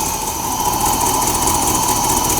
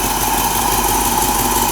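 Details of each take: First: Mercedes 4.5 engine that long ran rough, dwell and timing set only by hand, briefly warmed: from a steady idle it is raced up and revs cleanly and strongly with no misses, knocks or hesitation. Now running normally. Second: Mercedes 4.5 engine long running rough, cold start after suspected main culprit fixed, dwell and timing only set by hand: steady idle with faint uneven pulse, better but still slightly rough and shaking.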